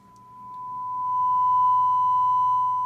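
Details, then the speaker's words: Marantz 2250B receiver after preamp work: steady pure 1 kHz test tone with no hum, crackle or dropouts; clean 1 kHz test tone. "we have a nice uh nice uh One khz Tone playing"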